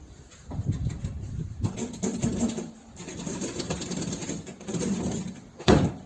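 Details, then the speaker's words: Chevrolet Cobalt front suspension: low squeaky groans and creaks in irregular bursts, ending in one sharp clunk; three worn parts with play, including the ball joint. Finding: front suspension creaking. "cliente trouxe esse carro para resolver esse barulho e mais alguns que está fazendo nessa suspensão aquele barulho só faz ao virar o volante para manobrar e tals"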